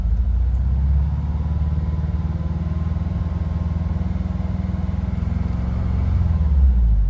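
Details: 1986-1991 VW Vanagon with Digifant injection: engine drone rises, stays high and slowly swells and sags instead of holding steady; hunting high idle traced to faulty idle speed control module behind right rear taillight, a cheap fix.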